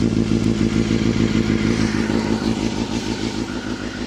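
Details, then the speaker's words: Honda CBR250RR MC22 four-cylinder after a no-start repair, still a bit cold: fast, even buzzing idle that gently rises and falls; running clean and healthy after sitting a while. "Running perfectly now. Goes up. So it's still a bit cold, but she's running really nice. It's got that nice hunt to it."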